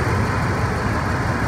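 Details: 1999 Ford Expedition 4.6L V8 after fixing the cylinder 5 injector fault that caused a misfire without a misfire code: smooth, even idle with steady low rumble, no stumble or missing beat; normal idle.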